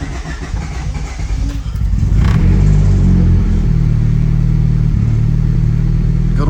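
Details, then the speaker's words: Turbo Honda Civic cold start before an oil change, oil with about 100 miles on it, followed by about 7-minute drive to warm up; catches and settles into steady even idle, firm low drone, no knocks or misses; normal cold start. "cold start just like that about 7 minute cruise warm them up"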